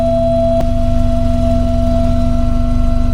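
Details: 1982 VW Westfalia with a Subaru engine swap, warm at about 91° and idling about 675–700 rpm: a steady, high-pitched electric fuel pump whine sits over the even idle, too loud; owner plans a quieter pump.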